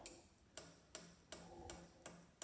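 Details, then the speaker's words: Chinese diesel heater on bench test, first start on a power supply: the dosing fuel pump priming with sharp, even clicks about three a second, drawing fuel up the line to the filter; normal. "now that you hear that clicking noise that is the pump pump and then we can go down so y'all can see see it pulling it up through the wire"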